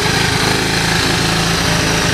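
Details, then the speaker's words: Honda ATC 125 single-cylinder just started, ambient 23°C: fast, steady buzzing idle with even beat and no knocks; runs, but clutch suspected shot. "as you can hear back here I got the 125 started"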